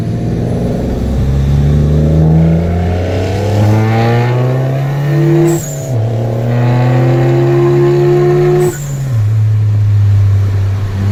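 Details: VW MK7 GTI with Forge BOV, SwoopsBuilt intake, APR downpipe, Vibrant resonator, muffler delete: full-throttle pulls through gears with loud booming drone rising with revs; weird noise traced to muffler delete.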